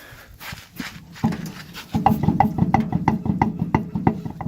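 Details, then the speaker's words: Old Ford truck: rhythmic knocking about three per second, paced with the rear wheels, bad on both rear sides; bearings were reportedly replaced years ago, and the owner suspects the bearings or a loose drum brake cover. "it's kind of bad on both sides of the back like that my dad claims two three years ago you replace the bearings on the other side but I sound the same I don't know if it has something to do with the drum brakes cover and being loose or something"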